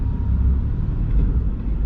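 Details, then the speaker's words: Single-turbo Nissan 370Z Nismo driving through a neighborhood on a hot day: deep, smooth exhaust rumble with no rasp or puffing; exhaust sealed and healthy. "so good infatuated with it like i say all the time like just listen to it sounds so good"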